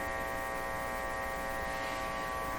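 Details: Philco 38-C7 tube radio with an aligned IF, while tuning: a steady low hum with an even buzzy edge and no change in level; a voltage drop across the bulbs was considered and ruled out, and the source is not yet found.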